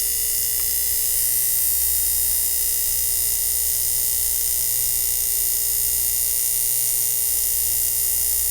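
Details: 1950s ATR mechanical power inverter (6 VDC to 110 VAC), vibrator after its contacts were brought back into connection: steady, even electrical buzz of constant pitch, no sputtering or dropouts; vibrator oscillating properly.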